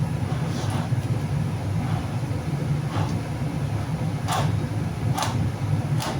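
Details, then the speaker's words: 2009 Mazda CX-9, front-wheel drive, driver's rear wheel bearing with the hub spun by hand before removal; noise was heard at 40-50 mph. Dull, gritty rasp about once a second over a low rumble, with no play: the bearing is dried out. "it it it's pretty dry should be pretty quiet um it's not loose by any means you can kind of see that there's like no play in it it's just dried out and making noise"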